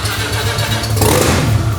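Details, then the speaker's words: Mazda RX-7 with engine just reinstalled, after swapping crossed fuel feed and return lines: engine catches and runs lumpy and uneven, low note wavering with stumbles after a hard start. "it doesn't have to run well it just has to run spunky"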